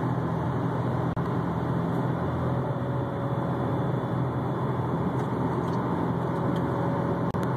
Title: 2004 STI whining humming sound